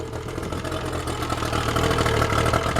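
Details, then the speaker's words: Yamaha outboard running on a water supply, warmed up, after an earlier stall the owner blamed on leftover fogging oil. Smooth, steady, even idle with a low beat and no knocks or misses; runs well, normal idle. "idling beautiful alright I'll let it run for a bit more and then we'll shut her off oh man it just purrs that Idol runs really well"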